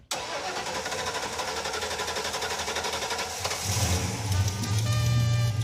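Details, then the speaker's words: 1986 Pontiac Firebird Trans Am after replacing a leaking fuel hose that was pouring gas: short crank, then the engine catches and settles into a steady, fairly even run with a firm low rumble; starts and runs properly. "Hey, that's fixed. Fixed. We're good. That runs quite good, like for us."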